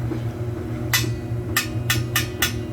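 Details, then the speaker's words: Tapping a good boiler expansion tank, checked after a grunting, water-hammer-like noise once heat was turned on: five sharp metal taps each ring clearly over low boiler hum, bottom rings less; tank holds its air charge. "See how it rings and the bottom not as much. So that rings that doesn't."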